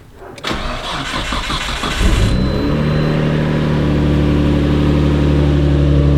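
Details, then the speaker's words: 1993 Nissan Skyline R32 GT-R with HKS Super Power Flow intakes and reportedly N1 turbos, started after about 15 seconds of fuel pump priming: short quick crank, clean catch, smooth steady idle; healthy start. "okay so fuel pump is in my mind 100 primed and then it just starts"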